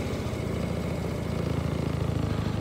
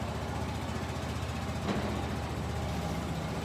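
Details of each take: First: Kymco Bet and Win 250 scooter project, idle screw being turned down after the idle had been bumped up: a steady single-cylinder putter whose firing pulses grow slower and heavier. Idle speed drops with the screw. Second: Kymco Bet and Win 250 scooter after carburetor float-bowl jet work and raising the idle screw: a steady, even low single-cylinder putter with no hunting or stumbling; a clean, stable idle.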